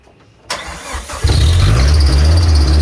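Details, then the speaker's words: RHD Nissan 200SX S13 with CA18 engine, first start after a new Wiring Specialties harness install. Cranks, catches, then a rough idle with a shrill squeal from auxiliary belts believed dry-rotted; a new set was ordered. Accessory belt squeal. "the car was started and screaming like a pig because I need to sort out the belt actually those belts are probably dry roted and dead"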